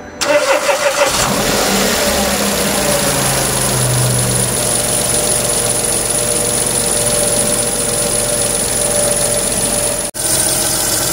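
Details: Renault Twingo III, SCe70 engine, just after start-up: thin, piercing steady squeal above idle from an accessory belt pulley; owner suspects lack of lubrication, tries a drop of engine oil.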